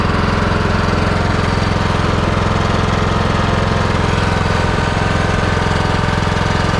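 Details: Husqvarna lawnmower after fixing carburettor fuel leak, fuel turned back on and bowl refilled: steady single-cylinder thrum at constant speed, no stumbling or surging; runs smoothly, no leaks seen.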